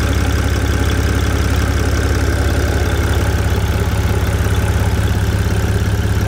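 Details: BMW 330d coupe M57 diesel, rebuilt after a timing chain failure and restarted after months stopped: steady, even diesel clatter at idle at about two beats a second, with no knocks or misses; normal idle.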